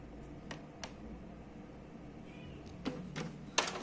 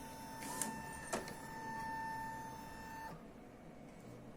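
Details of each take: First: Epson L3150 printer making a copy after power-up: quiet hum, then irregular sharp clacks and snaps as the carriage moves out of sync and forces the paper pickup, causing an error. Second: Epson L3150 printer that had a general error with all lights flashing: low hum with smooth feed and carriage bursts, no grinding, belt noise during head cleaning; printing normally again (temporary fix).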